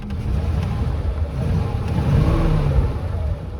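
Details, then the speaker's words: 1936 Ford Deluxe Fordor sedan, original flathead V8: low, lumpy rumble swelling unevenly when revved, running rough; owner says plugs need replacing and carburetor needs rebuilding, battery charging and oil pressure rising with revs. "let's start up the engine and you can hear it running and i'll i'll show that here so you can see how it runs and you you'll be able to tell it needs some work done the plugs need to be replaced"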